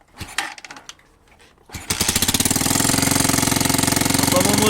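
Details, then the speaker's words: Kansas motorcycle single under restoration, started while a hole in the exhaust (bolt fitted, leaking sound) is covered by finger: quick even puffing tick about four a second, ugly valve-like noise owner attributes to exhaust leak, to be welded shut; ticking noise. "hoje eu vou tirar aquele barulho feio de válvula que ela tá fazendo vai ficar um barulho mais abafado mas original tá"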